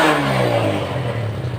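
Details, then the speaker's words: Yamaha Vega Force FI, long stored, that wouldn't start then misfired, after cleaning fuel injector and throttle body with carb and throttle body cleaner: revs cleanly and evenly, settling without stumble or misfire; now runs well. "then maganda na yung andar niya mga boss Ayan maganda na yung andar niya mga boss"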